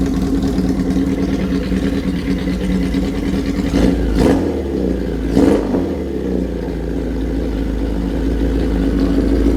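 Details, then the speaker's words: 1977 Kawasaki KZ1000 four-cylinder with 4-into-1 exhaust, started cold on choke after sitting a year; idles unevenly, dips and surges twice as if about to die, then labours on roughly at low revs; cold engine struggling to idle. "cold let's let it run right there for a minute let it warm up a little bit then I'll take the choke off all the way"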